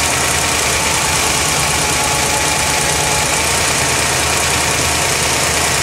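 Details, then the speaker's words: 1980 Corvette V8 idling: fast, light ticking over the engine note, louder on recording. Owner suspects spark plugs arcing, but removing them made no clear difference; cause unclear. "I've also noticed a big ticking sound, which is not as loud right now, but whenever you listen to it on the video, it's pretty loud."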